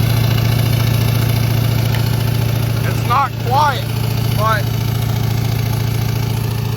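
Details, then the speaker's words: 2001–2004 Duramax LB7 diesel truck with hood stack, homemade high idle kit via cruise control set between 1200 and 1800 rpm, no throttle: loud even diesel drone, steady deep pulse, no knocks or misses; normal high idle. "this sounds pretty cool."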